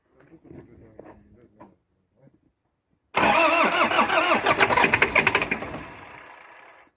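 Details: Truck engine after small repairs, computer box suspected: steady rhythmic cranking for about three seconds, then winds down without firing; cranks but won't start, cause unconfirmed.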